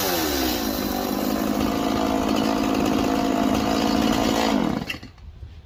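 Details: Stihl MS 180 chainsaw two-stroke after carburetor replacement and fresh fuel: strong steady howl holding high revs under cut, clean and even without stumbling, then drops away as cut ends; running healthy.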